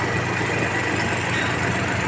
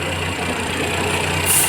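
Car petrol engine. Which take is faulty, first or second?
second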